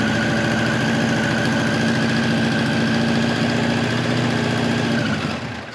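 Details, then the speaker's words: 1989 Kawasaki ZX-10 (ZX1000) with Keihin carbs, idling on the enricher (choke) with a fast, uneven, pulsing, lumpy beat; smells extremely rich of fuel and barely runs even with the enricher on. "but it smells like fuel smells extremely rich"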